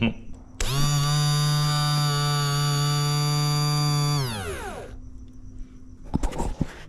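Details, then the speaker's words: Toyota LandCruiser 80 Series fuel pump, removed from messy tank with clogged pickup: steady even electric whine about 3.5 seconds then smooth wind-down, not noisy, no grinding; pump fine, fuel starvation blamed on caked pickup. "Pump doesn't seem too bad. It's not real noisy."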